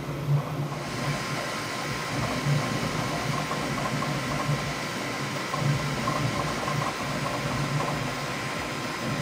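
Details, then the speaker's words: Bambu Lab P1S on firmware 1.05, printing the same test cube a third time after a full auto calibration: steady, even fan hum with soft motor whir, no knocks or grinding; normal printing noise. "so that was pretty loud and that is a sound that I'm very used to"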